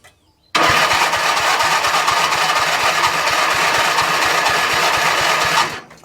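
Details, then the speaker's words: Big machine cranking on a fully charged Topdon JS1200 jump starter (indicator reads correct, 100%), after an earlier turnover without boost: brisk, even cranking at about five compression beats a second, no slowing or dragging; strong healthy turnover. "and you can hear straight away that um the the life has already improved so if you had a big machine like this and the battery was flat this could get you out of the pickle as well definitely"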